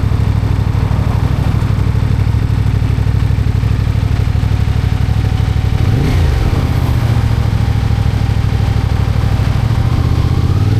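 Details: CFMOTO 450MT motorcycle engine idling with heavy, uneven low thumping and a faint clatter on each beat; owner suspects engine knock, not confirmed.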